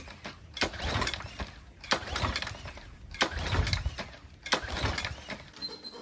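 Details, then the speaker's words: Troy-Bilt 3000 psi pressure washer with a Briggs & Stratton 190cc engine, no manual choke: four rope pulls about every 1.3 seconds, each a brief whirr with no firing; no start from a badly gummed carburetor. "I pull started it nothing happened um not surprised it doesn't have a a manual choke"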